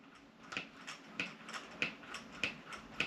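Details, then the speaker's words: Clicking from the KYX aftermarket front axles (sold as universal fit front and rear) on an Arrma Typhon/Granite Grom RC buggy converted to 3S brushless; sharp light ticks about every 0.6 s as the front driveshaft turns; owner suspects front and rear axles are different sizes. "in the front it seems to be clicking a little bit you guys hear"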